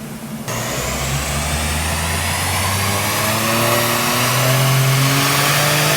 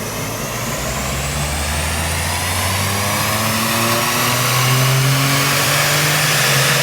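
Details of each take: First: Subaru Levorg, built H6 engine, Haltech ECU, full-throttle dyno pull; pitch climbs steadily then briefly stumbles midway before rising on; boost control cutting after overboost, not pedalling, still heading for about 400 kW. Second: Subaru Levorg with built H6 engine, Haltech ECU, after downsizing to a smaller turbo, at wide open throttle; strong pull with pitch climbing smoothly, no misses or knocks; run possibly made 320 kW, healthy.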